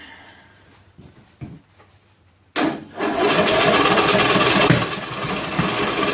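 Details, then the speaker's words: John Deere L100 lawn tractor, valve cover off, choked start attempt; weak cranking puffs then rough catching, popping through intake and exhaust; owner suspects sheared flywheel key throwing timing off, or valves not sealing; unconfirmed. "It's popping out the intake and exhaust, as if to say the like the keyway is broke or something. Very interesting. When the keyway breaks on the flywheel, it throws the timing way off."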